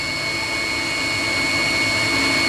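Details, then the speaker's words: 16 kW Chinese diesel water heater (engine block preheater) heating cabin radiators, lid on: steady even electric hum at shutdown; circulation pump normally runs about 30 seconds extra after shutdown. "so just listen to it as it shuts down it will leave the pump running for an extra 30 seconds so it keep circulating liquid once everything else has been switched"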